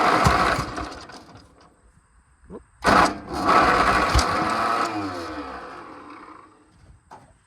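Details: Oliver Cletrac OC-3 just after starting cold: the engine stumbles and surges unevenly with a ragged beat. It may want a little choke; it smooths out afterward.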